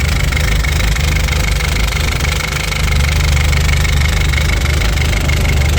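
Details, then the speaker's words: Audi A4 B7 1.8T 20V, stopped during a low-boost test drive after a funny noise, misfire and smoke from the oil catch can; rough lumpy idle with deep uneven knocking; owner suspects a failed spark plug near one coil, not sure. "It sounds like it might be one of the spark plugs. I think it's the spark plug that went. I'm not 100% sure, but the sound seems like it's coming from this coil right here."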